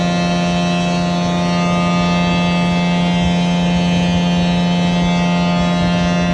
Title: 20220713 LR21001633EA OATKA Blower 3 buzzing sound louder then goes away